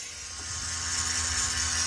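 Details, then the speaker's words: Nissan 370Z Z34 with ignition off: a steady low electric buzz and hum from a faulty ABS pump module that keeps running after shutdown and drains the battery; the module was replaced with a used unit. "this most likely is your culprit and that's the ABS pump and it goes on like that while the ignition is turned off"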